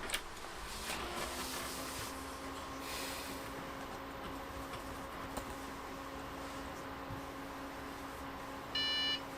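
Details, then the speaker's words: Budget PC with the RX 570 graphics card removed. A steady low fan hum, then one short clean POST beep, meaning it boots normally. "yeah so we heard that beep so that means it's working fine yeah it's booting up normally"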